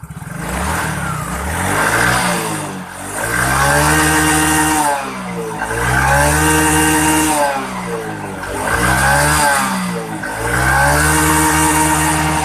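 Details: Yamaha Mio J fuel-injected scooter that would not start: engine spins up cleanly and settles back in repeated blips, no misses or stumbles; running normally again.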